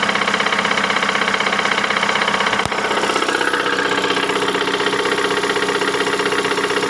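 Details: 2008 Ford Mondeo Mk4 2.3 L engine, 203,000 km: steady idle with a sharp, regular tick about four per second over the engine note; a knock of unknown source.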